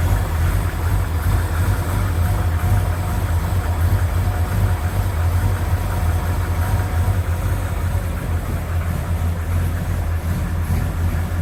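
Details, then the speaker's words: 1972 Chevy C20 Longhorn pickup, original engine, rebuilt and reworked for 20 years but still running poorly, on its last start before removal: a heavy, low, clattery idle with an uneven pulse and a rattle; rough running, cause unclear. "still doesn't work very well doesn't run worth of crap it should but it doesn't it's just honoring so start it up one more time then she's coming out"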